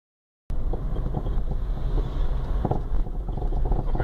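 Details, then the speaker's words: 2005 Chevrolet Astra GSI 2.0 16v driving: irregular dull knocks through road rumble from blown, compacted front strut mounts; fixed by replacing shock absorber mount kits. "lembra do barulho do do Astra Olha só o coxim do amortecedor dele parece que quebrou hein"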